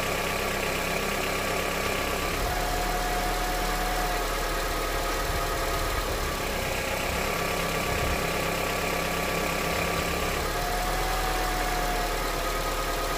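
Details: Honda CR-V, 200,000 km, warm engine, first start after changing to thicker 10W-40 oil on the old filter: regular knock about three per second under idle, staying through the revs, unchanged by thicker oil; engine knock, cause unclear.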